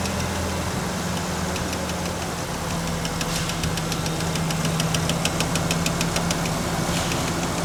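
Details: 1993 Ford Ranger with intermittent dying, relay shaken while running: steady, even idle with light clicking on top; keeps running with no stumbles or cutouts.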